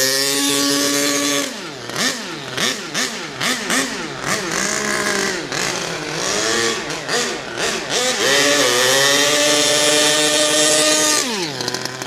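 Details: HPI Savage Octane RC car engine, carburetor linkage not yet set so not reaching full throttle: high buzzing revs rise and fall cleanly with blips, then hold steady without stumbling; running well.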